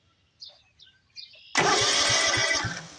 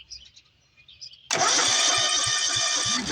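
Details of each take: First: John Deere LT180 riding mower after swapping in the ignition switch from another D100-series mower: the engine cranks briskly with even compression pulses and has not yet fired. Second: John Deere LT180 riding mower that stopped while mowing last summer, cranking: the starter churns with steady compression pulses but the engine never catches. Spark test shows no spark, looking like a bad ignition switch.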